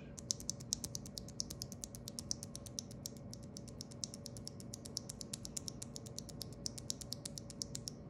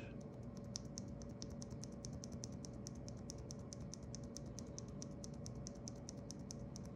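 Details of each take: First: Stock Corsair OPX keyboard switch (light, roughly 30-50 g) without lube or film: rapid sharp clacks with bright metallic ping and scratch, compared against a switch lubed with Krytox 205g0 and KBD Fans film. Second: Corsair OPX switch, light (about 30–50 g), lubed with Krytox 205g0 and fitted with KBD Fans film, compared with stock: quick, crisp clicks about five a second with almost no scratch between presses.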